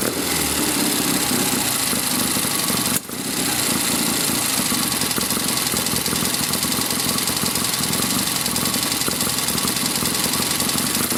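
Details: 1972 Triumph Tiger 650 twin, which would not stay idling, after the Amal carburetor was cleaned and the points regapped to 15 thou. Now a brisk, fairly even patter with a brief dip near three seconds, then steady; it is on its way to idling properly again.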